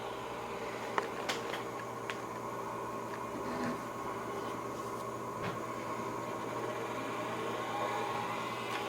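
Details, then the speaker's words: IBM PS/2 Model 25 286 computer's hard drive spinning up: thin steady spinning whine with scattered irregular clicks and ticks, sounds like it's hitting something, owner suspects rust or dust inside; failing drive, judged toast. "that was the hard drive just spun up sounds like it's hitting something sounds bad sounds like it has rust in it"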